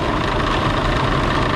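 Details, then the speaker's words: 2005 Toyota Highlander, A/C recharged and on, radiator cooling fans kicking on high: a steady, rough whooshing roar with low rumble and vibration from worn fan bearings; needs new cooling fans. "the fans are bad. That's what's making the noise. The bearings are bad."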